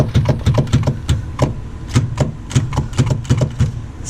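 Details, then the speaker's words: 1991 Mitsubishi Galant VR-4, turbo and E85, on a Quick Jack: driveshaft rocked by hand gives irregular dull clunks, about three a second, from worn carrier bushings that need replacing; may have found the clicking noise. "So, I need to get these bushings replaced. It'd be nice to get them replaced before tomorrow."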